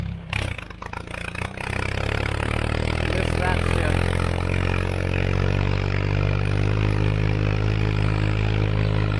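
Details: Tractor after a tune-up (hydraulic fluid and filter, spark plugs, O-ring, air filters) on a test drive in what the driver guesses is fifth gear: after some clatter, a deep steady note pulling uphill, sagging slightly near the top; handled the hills better than expected.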